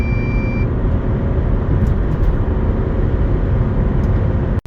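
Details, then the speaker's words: 2025 Volkswagen California T7 Ocean, 2.0 TDI 150 hp four-cylinder diesel, about 2475 kg, full fuel and water tanks: strong, steady diesel drone pulling hard under acceleration over road noise, no knocks or hesitation; healthy run. "Ja jednak do testu wybrałem 2.0 TDI o mocy 150 koni, który tak sobie klekoczy. No klasyczne cztery cylindry, nic specjalnego."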